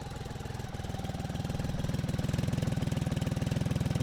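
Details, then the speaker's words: BMW K75 RT at minimum idle setting, still cold and warming up, after spark plug change, fuel injector replacement and air filter cleaning: steady, even low pulsing that gains strength. Normal cold idle, running better. "here we go the minimum setting so I'll just let it warm up a bit more"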